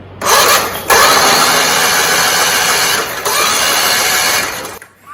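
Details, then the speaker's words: John Deere 317 garden tractor, twin-cylinder with pressurized lubrication, unknown year: starter spins it at an even rhythm with no grinding or clatter; both cylinders have compression and it turns over freely. "So that everything sounds good, everything seems good with this tractor."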